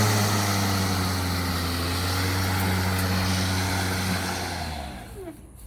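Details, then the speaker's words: Milwaukee cordless lawn mower, new unit showing the same fault, run off load out of grass: motor drones a few seconds then sags and winds down to nothing; switch apparently not holding without constant pressure, not confirmed. "it just starts dying on you randomly so there you have it"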